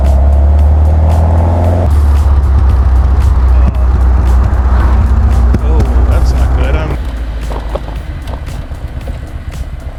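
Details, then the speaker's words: The Seven after a massive backfire, idling in the garage. The engine lopes unevenly with a beat dropping out every cycle, sounding like three cylinders; a cylinder misfire. "I think I'm missing on a cylinder Uh something's not quite right and this thing is running rough"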